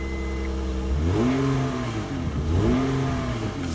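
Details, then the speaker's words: 2003 Honda Odyssey V6 after the misfire fix, restarted with new genuine NGK iridium plugs and OEM coils replacing counterfeit and aftermarket parts: steady idle, then two quick clean blips rising smoothly in pitch, crisp and healthy; normal start and rev. "a crisp on the v6 sound right there I love it"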